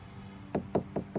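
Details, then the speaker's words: Acura RSX salvage-auction car: five quick knuckle taps on body panel sound dull and dead, not hollow, from thick cracked body filler (bondo), unlike hollow-sounding driver's side. "Does that sound hollow to you? No, that's all bondo, baby."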